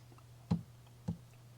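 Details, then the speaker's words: LaserMATIC MK2 rotary chuck with jeweler jaws screwed directly into the rotary: three sharp knocks about half a second apart over a low hum as the chuck turns, a jaw piece hitting the laser module; fix is screwing the jeweler jaws into the existing jaws. "you hear that? This little piece right here is hitting the module."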